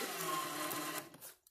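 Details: 2014 Audi Q5 rear caliper electronic parking brake motor, powered from a jump box via alligator clips during a pad change: about a second of steady high-pitched whir stopping cleanly as the piston drives out normally.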